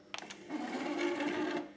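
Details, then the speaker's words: Philips CD-i console with faulty disc drive, opened by someone before: sharp clicks then small tray motor whirs and strains about a second before stopping; tray not ejecting properly and getting stuck when closing. "yeah you can see it's not ejecting properly I don't think it closes either does"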